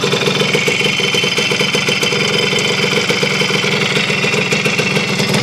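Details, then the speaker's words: Honda CR250M Elsinore two-stroke idling after revival from years of storage, following kickstarter repair, a different spark plug and refilling the carburetor, cold ~30° morning in the shop; crisp, even popping with no misses or knocks, holding speed. "It's alive after I don't know how many years, guys. It was laying in the back of the gentleman's Suburban for a long time, I believe."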